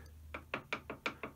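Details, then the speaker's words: Holbrook T13 toolroom lathe upper spindle bearing cap, its faces machined on a shaper, rocked by hand: seven sharp wooden clicks about every fifth of a second as it touches only in the middle and won't seat flat; needs three to four thou of shims underneath. "that's rocking, because having machined off these faces, it's only going to be touching in sort of the middle section"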